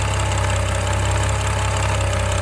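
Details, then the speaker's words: F10 BMW 535i xDrive, first start after full timing chain replacement, oil primed to 45 PSI, no codes: a steady idle with a faint constant whirring whine; the owner suspects the new, tight chains. "It's almost like a whirling or whining sound. But I know that sometimes when chains are tight when you first put them in, you know, they just sound a little bit different than when they're stretched or loose."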